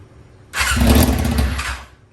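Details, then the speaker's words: 2001 Yamaha YZF R6 after carb rebuild, first start attempt in 3 years, engine cold: brief fast cranking catches momentarily but won't run; vacuum lines initially unhooked. "So after I tried to start it, and realized it wasn't going to start, even though the vacuum lines weren't hooked up initially, it still wasn't starting."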